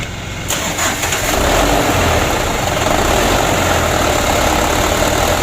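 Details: Mitsubishi Canter diesel truck that started hard and wouldn't rev, after replacing the injection pump plunger: a few cranking beats, catches quickly and settles into an even diesel clatter at idle; starts and runs normally.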